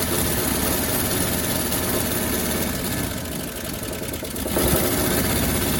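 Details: 1957 Chevrolet Bel Air V8 sitting 30 years, gravity-fed from a gas can: stumbles and lopes unevenly at idle with irregular firing pulses, a brief sag then recovery, seems to want to stay running; rough running, cause undetermined.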